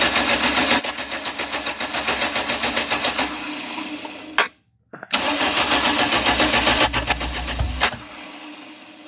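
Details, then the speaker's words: 1989 Dodge Daytona converted from TBI to turbo, first start attempt, no exhaust fitted, plugs and wires fitted: rapid even cranking, no firing; cranks but won't start, timing suspected off, distributor adjustment planned. "Alright, so it sounds like the timing's off. So maybe change the distributor a little."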